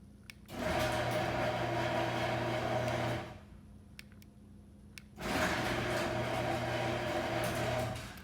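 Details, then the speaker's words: Sears/Craftsman garage door opener after fixing panel lock mode by reprogramming the remote (LED stopped blinking): two smooth, even three-second motor runs with steady hum; door and remote now operating normally. "So as you can hear, the garage door is operating okay, and this remote control is also working well."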